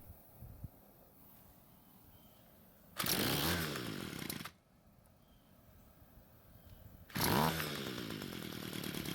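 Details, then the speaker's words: Homelite trimmer that wouldn't start, first run after work: two short bursts of buzzy two-stroke running that rise, sag and cut out after about a second each; needed L/H carb screw adjustment. Runs rough. "so the good news is that it started and ran but the bad news was that it needed a carb adjustment to get it running better"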